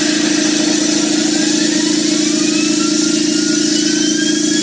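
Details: Home-built JM50 turbine on its second start attempt: a steady loud whir with a fixed tone and faint rising whistles that never climbs to a light-off roar; it won't make enough rpm to start.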